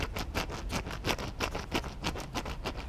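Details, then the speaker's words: Chevrolet Aveo 1.5 2006 rear wheel bearing removed and turned by hand; gritty scratchy rasp pulsing about three times a second, badly worn sealed bearing with grease leaking, replaced. "Okay, and this one is pretty worn out. It's on this side here."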